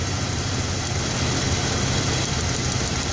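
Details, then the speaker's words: Car with unstable idle and intermittent misfire: sharp, irregular snapping ticks over a steady idle, from spark jumping where a plug wire lacks its metal connector at the spark plug; ignition wire arcing, not a lifter. "And some people get confused when they hear that noise. They think it's a lifter. They think it's something else. They think it's something mechanical, and it's not. It's something from the ignition system. It's the wire. It's the sound of the spark jumping."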